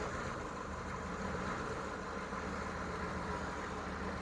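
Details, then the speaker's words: CUCV 6.2/6.5 diesel M715, restarted after running out of fuel and bleeding the injection pump with an electric pump: idle misses and hunts, stumbling, likely with air still in the fuel system; belts squeal from low batteries. "and my you'll see it's not Rhino right it's missing and hunting and it's just not happy my belts are squealing because the batteries are down yeah it's not happy at all but it's running"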